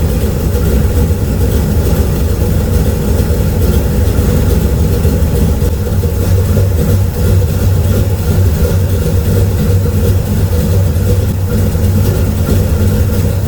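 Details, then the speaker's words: Naturally aspirated LS V8 in a Camaro, first start after fitting a 750 carburetor in place of an oversized Dominator: deep lumpy idle holding steady without stumbles or misfires; healthy. "But this is probably the rowdiest sound of LS I think I've ever heard."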